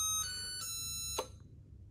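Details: Biosystem BX2000 punch card time recorder sounding its scheduled music siren, whose duration is settable from 3 to 60 seconds: a clear electronic chime tune for about 1.5 seconds that stops cleanly; the scheduled melody alarm works properly.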